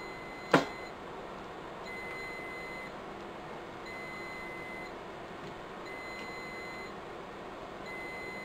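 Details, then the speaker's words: Riello DVD 2200 2U UPS whose batteries are being replaced: one sharp chirp over quiet room hum, part of beeping going on for about two weeks, battery fault alarm warning the batteries are worn out and need replacing. "as you can hear that beeping has been driving it mad now for about two weeks"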